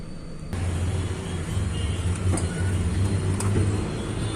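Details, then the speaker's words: Volkswagen Polo 1.2 MPI with low pickup and jerking in gear: low idle hum stumbling unevenly as cylinder 2 misfires; ignition coil or its wire suspected, spark plugs worn. "तो उसका दो number cylinder miss fire हो रहा है उसके वजह से इसका पिकअप कैसी है और झटके लेने का"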